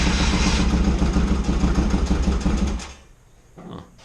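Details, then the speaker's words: 1982 Yamaha XS650SJ after petcock rebuild, running without choke, won't rev: uneven, lumpy low putter about three beats a second that stumbles and dies; idle adjustment set far back, cause unclear. "something else is not right with this bike yay we get to rip more of it apart"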